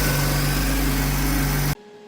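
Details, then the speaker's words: 2003 Honda Accord V6 at 136,649 miles, after belt tensioner replacement: smooth, steady idle with low even hum, no rattling or chirp; pulleys and tensioner sound good and quiet. "Nice and quiet. There you go. No rattling. Pulleys sound good. Nice and quiet."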